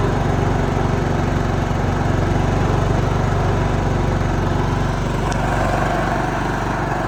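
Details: John Deere LT155 riding mower, a no-crank, no-start that ran about 5 seconds then shut off; started with choke: small single-cylinder engine chugs at steady speed without stumbling or dying; running properly.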